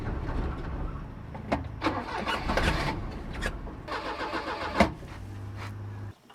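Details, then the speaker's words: 1988 Daihatsu Hijet mini truck, sat for years, cranking laboriously and unevenly with brief bursts but never starting; slow crank no start, owner suspects a weak battery and hooks up a jump pack. "let's hook up the Go Go Juice Box cuz I don't think the battery's powerful enough right now"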